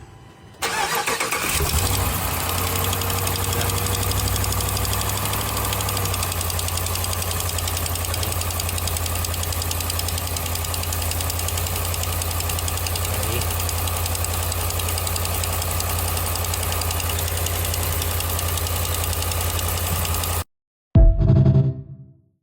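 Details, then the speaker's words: Dodge Ram 5.7 Hemi V8 idling after start; quick light ticking from exhaust manifold leak where two bolts are missing/broken (one holding heat shield), carbon soot marking escaping exhaust gas. "Aquí está el carbón donde se está saliendo la el gas, donde se oye el rollito."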